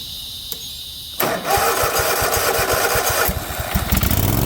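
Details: 50-inch Cub Cadet zero turn that sat a while, tank low: silence, then cranking and ragged, uneven pops on starting fluid without settling to idle; owner suspects a bad fuel pump or clogged carb.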